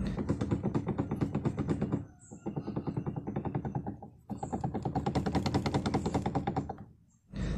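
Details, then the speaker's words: Car before repair, steering wheel turned: fast even clicking knocks, roughly eight a second, from the bottom of the steering shaft; worn universal joint bearing, noise gone after replacement. "kalau kita gerak dia punya steering nih ada bunyi ketak ketak ketik ketak dibagian bawahnya shop steering"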